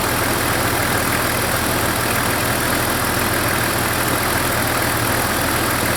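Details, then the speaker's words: Jeep engine idling after new plugs and wires, warming up with cooling system being bled: constant airy hiss over the engine note; vacuum leak from rotted heater-control vacuum lines, related to the broken heater vacuum valve; owner unsure whether it affects the engine. "By the way, I've got to plug that leak. I hear it. I don't know if it affects the engine."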